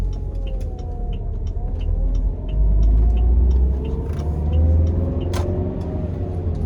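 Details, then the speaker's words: Saab 9-5 after new ignition cassette and spark plugs, hard pull in third gear: tone climbs smoothly and evenly, no stutter or popping, some turbo lag; misfire under hard acceleration seemingly fixed. "That was incredible. I think we fixed it, guys. It's got like old school turbo lag."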